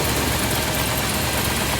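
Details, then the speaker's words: 1979 Ford F-100 Ranger with a carbureted 302 V8, after fitting the correct replacement part: a steady, even idle rumble with no stumbles or knocks, under heavy background noise, a little smoother than before. Normal idle after the fix. "yeah she fired up that time so hoping that was it finally got the right one in there it was like five bucks so um a little bit smoother"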